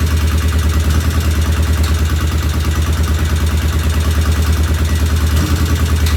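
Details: 1975 Norton motorcycle, freshly rebuilt, first start while checking oil flow and adjusting idle: loud, lumpy idle about three beats a second with an odd uneven stumble; one tappet sounds loud and something occasionally isn't right, cause not yet identified.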